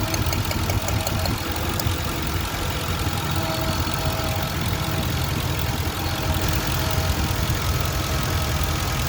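Petrol engine at idle with an uneven, lumpy beat and occasional stumbles; fits a misfire, but which cylinder is unclear.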